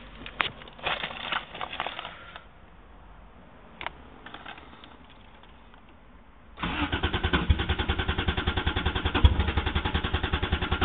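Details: 1JZ-GTE swapped Toyota Supra cranks but won't start: uneven rattling, then starter turning over steadily about two and a half beats a second, never catching; previously started and died from a clogged fuel dampener, replaced, ran once, now won't restart.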